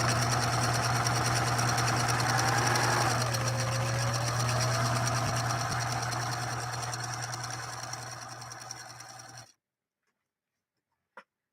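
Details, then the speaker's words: Singer 6233 sewing machine with pneumatic speed control sewing a three-point zigzag: even, rapid stitching clatter about four stitches a second with steady motor hum, smooth and free of knocks; healthy machine. "I don't know what you can hear on your end but this is a sweet smooth running smooth running machine truly truly is really quite spectacular"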